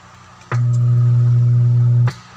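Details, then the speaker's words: Starcoby Bluetooth speaker, powered on opened for testing: loud, low, unchanging hum about a second and a half, then cuts out; has power but hums, burnt shorted power transistor in amplifier suspected. "Umugong mga ka-gel kung narinig nyo. Yun. Meron siyang power pero umuugong siya mga ka-gel."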